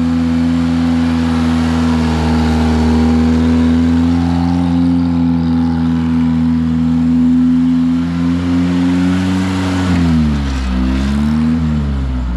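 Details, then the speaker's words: Long-forgotten Satoh S-550G tractor with a 4-cylinder gas engine, just restarted indoors on a 100-degree day after briefly smoking. It has a homemade leather accelerator pump. The engine runs steady and even, then revs rise and fall smoothly, sounding healthy. "Okay, tell me that's not cool. The old girl's fired back up, she's running, and you gotta remember that the old man made that accelerator."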